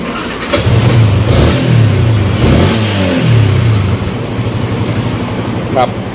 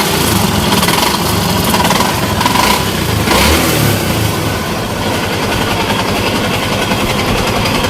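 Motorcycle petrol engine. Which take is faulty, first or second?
second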